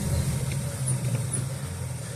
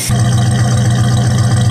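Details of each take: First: 1969 Dodge Dart/Valiant, sat 6 months with 10% ethanol gas, primed; starter cranks at steady rhythm, pauses, cranks again without catching; carb bowl empty, accelerator pump delivers nothing: cranks but won't start, fuel starvation. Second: 1969 Dodge Dart with steady fuel flow, warm day, no choke: catches straight away and settles into a steady, even burble with no miss or hunting; clean, healthy idle.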